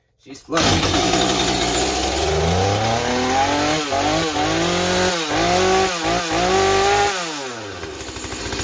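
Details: Stihl 025 chainsaw rebuilt with a new top end, first run after a bad gas cap O-ring: two-stroke fires up and revs cleanly, pitch rising and falling smoothly with throttle blips; runs properly.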